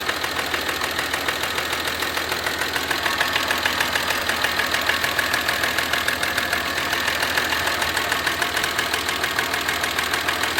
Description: Audi A4 V6 30v. Knocking noise caused by a faulty cam chain tensioner.